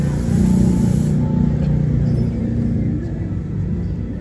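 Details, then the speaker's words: Honda City engine at idle: low, heavy rumble with an uneven, stumbling beat; engine limping, not running optimally, a misfire traced to failed ignition coils. "Mesin tidak bisa bekerja secara optimal, yaitu mesinnya menjadi pincang."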